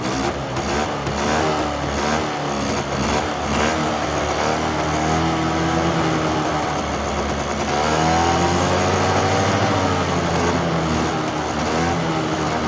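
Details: Polaris Trail Boss 350 two-stroke quad abandoned 15 years, fed poured gas from the can: rough, buzzy revs climb and hold near the limiter, wavering slightly with fuel but pulling steadily.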